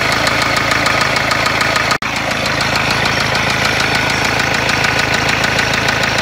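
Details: Renault Kangoo 1.5 dCi at idle: loud, sharp, regular metallic knocking about three times a second; severe internal engine knock, engine described as blown.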